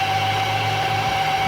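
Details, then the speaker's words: Renault Megane petrol engine at steady idle with a thin, constant whistle-like tone on top, an annoying noise present for some time, caused by a clogged (obstructed) crankcase breather. "Qual o problema do carro? Ok? Isso é respiro obstruído, tá, pessoal?"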